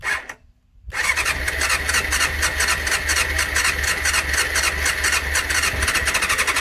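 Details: 1989 Honda CBR600 restoration, cleaned carbs, fuel primed, choke on: after a short crank it catches into a ragged uneven coughing putter, barely running; throttle seems to kill it, before it finally runs properly.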